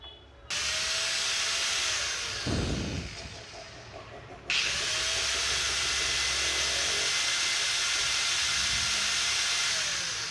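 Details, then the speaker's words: AG5 cutting machine (grinder) that overheated within minutes because the field coil was rubbing, after repair: a steady high-pitched motor whine at full speed with no scraping or rubbing. The earlier rubbing vibration is gone; if it returns, the housing needs replacing. "இப்போது அந்த vibration இல்லை. First on பண்ணும்போது பார்த்தீங்கன்னா ஒரு வகையான vibration, உராயிற vibration இருந்தது. இப்போ அந்த வைப்ரேஷன் இல்லை."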